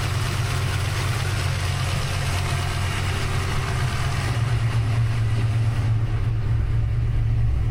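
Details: Fresh rebuilt 363 V8 (new Diamond pistons after melted pistons) with Holley Smart Coil ignition, cam sync, crank trigger and Terminator X EFI, idling stationary just after first start; steady even low rumble, no knocks, ticks or misses, no leaks; normal idle.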